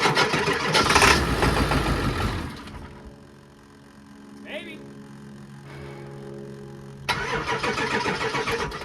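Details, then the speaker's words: 2003 Ford F-250 7.3 turbo diesel Powerstroke, about 383,000 miles, first start after sitting a year and a half. It cranks and catches with a loud start, then holds a steady, even idle, running smooth with no misses. Normal idle. "it's running pretty smooth no misses or anything"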